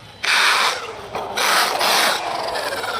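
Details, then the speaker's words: Traxxas Sledge RC truck, 2200kV motor on 6S 5000mAh LiPo, stock pinion: coarse rasping grind with throttle going forward, fine in reverse; the rear differential is blown. "It's fine in reverse, but going forward, listen to that. It's gone."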